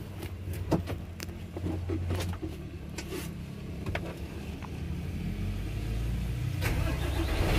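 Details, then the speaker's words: Isuzu Giga tronton truck diesel that would not crank despite a good battery and engine indicator off; after replacing the blown fuse with a 10 A one per the table, the starter cranks at a steady three to four beats per second, then the engine catches into a running rumble; normal start. "teman-teman Ya sudah hidup ya temen-temen"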